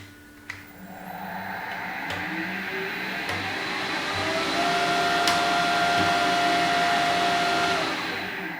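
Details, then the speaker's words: Harrison HS170 universal milling machine, secondhand, main motor in the base run during servicing: steady whirring hum with a rough buzzing undertone and faint whine; the motor sounds bad and must come out. "well it sounds pretty Dreadful doesn't it so that motor is going to have to come out"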